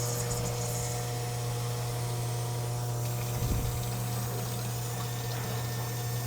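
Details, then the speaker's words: Electric fuel pump in its assembly with little fuel: steady low hum with a watery, gurgling churn and a brief surge midway; the pump kicks up and aerates the fuel, sucking air because it is low on fuel. "Now, those air bubbles from the, Yeah, the fuel is aerating because of the pressure or because it's because low on? the pump is kicking it up inside the assembly, and it's not much fuel in there."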